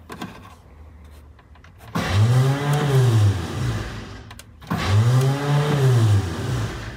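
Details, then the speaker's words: 1985 Ford Bronco of unknown condition: two bursts of free whirring starter whine with no cranking beat, even after hitting the starter with a hammer; starter spins without turning the engine, so it needs a new starter. "uh the starter's turning but it's not turning the engine so i will have to put a new starter in it"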